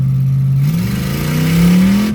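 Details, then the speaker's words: Automatic transmission, manual shifter, driving in 3rd gear during road test before burnout event: engine drone rises in pitch under steady throttle without pulling harder as 3rd lets go; transmission slipping, will not hold 3rd. "Nope. That's 3rd gear. Trans slippage. For sure. So we know this trans will not do 3rd gear."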